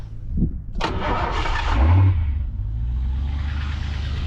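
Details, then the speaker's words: Ford Foxbody Mustang 5.0 302 with heavy oil sludge and original 1987 plug wires: it cranks, catches with a low rumble, then runs rough as spark drops out. Owner suspects a bad fusible link causing intermittent spark; timing also seemed off. Crank and stall. "there we go and I think we might have lost our spark again"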